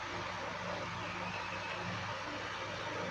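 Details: Second-hand electric fan after its motor bushing was serviced and reassembled, running on speed 1: a steady rush of air over an even low motor hum. It runs smoothly and normally now.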